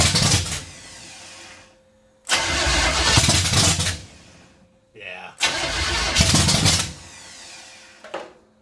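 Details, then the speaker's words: 454 big-block V8 stored 20 years, open headers, after a backfire shot flames from the pipe; two long crank bursts with ragged catches that never run; owner suspects ignition timing too retarded, plans to rotate distributor further. "I might have to pop the distributor and turn a little bit farther so I can get more range of motion out of it"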